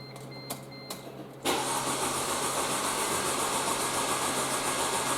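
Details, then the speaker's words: Mercedes C230 that cranks but won't start, retried after wiggling the fuel pump connector: a few chimes, then the starter spins evenly at about four beats a second and never fires. The fuel pump is dead and was replaced. "yeah sounds like our fuel pump is dead all right so every indication is that the fuel pump's gone bad"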